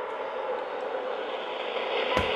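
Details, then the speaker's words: Radio tuned off-station picking up RF interference from a nearby Chromebook laptop: dense radio hiss with faint shifting tones and a sharp crackle that appears when the Chromebook is switched on. "Jeg tænder for min Chromebook, så jeg kan fjerner dækslet lyt til ændringen i den støj det er fordi min chrome er tilbage tændt է forårsager RF-støj"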